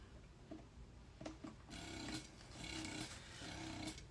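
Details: Spectra breast pump in 70-cycle stimulation mode: soft motor hum with a rhythmic suction pulse about seventy times a minute, slight buzz and vibration but even; working normally.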